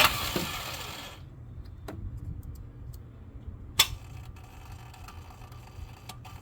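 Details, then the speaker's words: 2004 Lexus GX470 after deep river crossings, with the starter fed 12 V directly to bypass the relay. The solenoid gives sharp clicks with a lag before the motor catches, then scattered clicks. The failing starter motor was replaced. "okay so so as you can see it looks like it starts fine and then there's a delay um I do hear the solenoid clicking so power is getting there"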